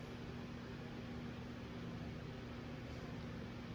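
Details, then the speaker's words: 1980 Emerson Heat Fan/Blender ceiling fan, K63 motor, three fiberglass blades, stepped flywheel, on low trim of solid-state variable speed wall control: barely audible, ever so slight steady motor hum, no rubbing or clicking, well balanced; normal low-speed running. "You can barely hear it running. It has a slight, ever so slight hum, but it does very well on this control."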